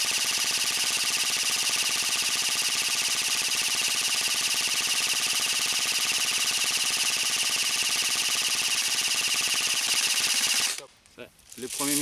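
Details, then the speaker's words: Krytac Trident LMG Enhanced airsoft gun fires fast, even full-auto chatter from a fully wound box magazine, then stutters and stops. First misfeeds appear after about 16 seconds (roughly 256 BBs), so the magazine must be reloaded. "premiers misfeeds sont apparus, je suis donc obligé de recharger."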